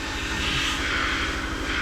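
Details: Tofaş Şahin engine idling after clutch repair with new release bearing and gearbox guide tube; steady, even idle with a low pulsing beat, no bearing whir, grinding or squeal, normal quiet release bearing.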